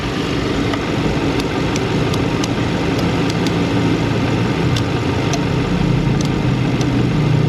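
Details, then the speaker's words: Kia at idle, AC on: faint relay clicks as relay is reseated, but AC compressor clutch never engages; cause not yet confirmed. "You hear it? I can feel it clicking and hear it clicking, but nothing's happening down at the compressorial device."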